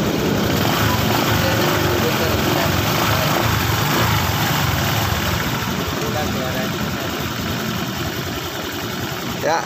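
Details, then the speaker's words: Honda Vario 150 LED scooter after cam chain tensioner repair: even, steady idle with smooth low rumble, the earlier tek-tek ticking gone; normal idle, engine sounds healthy. "Oke suara mesin sudah kembali normal guys ini dia suaranya ya"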